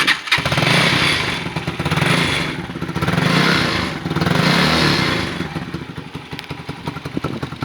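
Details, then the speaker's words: Motorcycle idling and blipping unevenly with a loose metallic rattle over the exhaust beat: a rattly exhaust the owner cannot cure. The baffle was removed from one side. "There is only one really bad issue with this bike, and that is a rattly exhaust which I cannot get rid of, and that's how I replace both the exhausts on each side, which we're talking about 150 quid for a pair."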